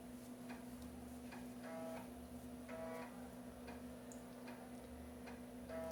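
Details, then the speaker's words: Floppy drive in an MS-DOS PC copying ARJ-compressed sound-card driver installer disks, with old disks that may have sector errors: short buzzy stepping bursts and soft clicks every half second over a faint hum; normal read/seek noise. ">> Barulhinho da cópia. Eu não cronometrei, mas deve demorar um tempinho."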